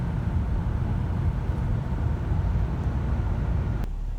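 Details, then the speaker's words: 2002 Nissan Maxima after replacing the accelerator pedal assembly for P0221 throttle pedal position sensor code (no throttle response): deep smooth engine roar, powers right up to 5,000 rpm with no misses or stumbles; running good. "all right it just Powers right up we'll move out looks like it's running good whipped right up to five grand"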